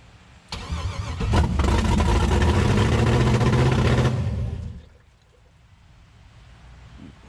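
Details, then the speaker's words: Chevrolet S10 with an LS V8 swap, first start after the swap: short crank, then catches on the first turn of the key into a strong, even rumble; healthy start, though transmission fluid was leaking. "uh but man it started first turn to the key holy crap"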